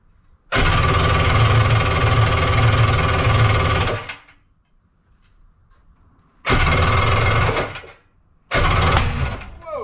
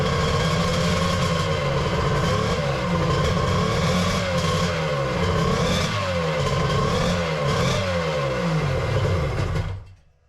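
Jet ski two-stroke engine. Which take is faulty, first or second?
first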